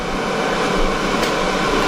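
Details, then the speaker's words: EcoFlow Delta 1300 power station charging around 300 W input; steady, even rush of cooling fan air, no rattle, tick or scrape, fans working hard but normal, not yet at highest level. "you know this thing can take in so much power but when it is the fans really start to kick up and this isn't even its highest point"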